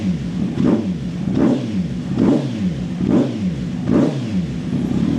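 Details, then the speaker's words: Kawasaki Z900 2020 warming toward 90 °C, button pressed to switch the pops & bangs solenoid valve off: repeated short blips about once a second, dropping back cleanly with no crackle or bang on overrun; normal revving without backfire pops. "popsów nie ma Dobra czekam aż złapie te 90 stopni i damy mu trochę w palnik"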